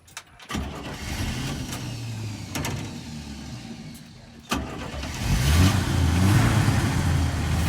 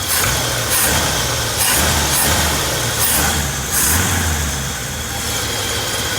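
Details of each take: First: 1965 Chevy C10, long stored in barns and low on fuel: a few bursts of cranking, then it catches into a lumpy, uneven idle that shakes and hunts; it idles rough. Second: 1965 Chevy C10 V8 started after sitting in barns for many years: steady low rumble with slight rise and fall, pulling strong and even; a strong idle.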